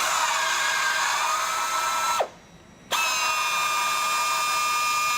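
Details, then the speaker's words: FlexArm tapping arm cutting 1/4-20 UNC threads; even high motor whine through the cut, brief stop to reverse, then same clean pitch, tap running freely; normal tapping. "as you can see no problem with this one"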